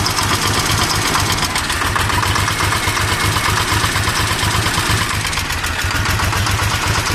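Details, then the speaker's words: 855 (FE) diesel tractor with black smoke and increased engine noise: loud, regular top-end clatter at idle; owner suspected loose tappet or broken bolt, found valve train noise from a broken rocker bolt. "जो इसका इंजन में नॉइज़ ज़्यादा हो गया और black smoke भी आ रहा है। शायद टैपेट लूज हो गया या बोल्ट टूट गया, देखना पड़ेगा खोल के क्या हुआ।"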